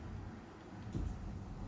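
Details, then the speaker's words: G-body Grand National fuel system, engine off, second ECU-controlled pump manually forced on: low steady hum swelling as pump two kicks in; pressure rises from 49 to 52 psi, limited by return line; both pumps sound healthy. "Second pump back on, sounds good. Fuel pressure jumped up to 52 pounds."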